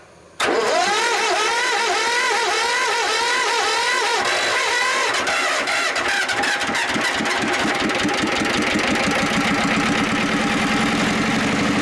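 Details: Diesel engine with glow plug, unstarted for about 3 months, at about 5 degrees: several seconds of cranking, then it catches and settles to a rough rattly idle. Cold start is hard because the glow plug gives too little heat.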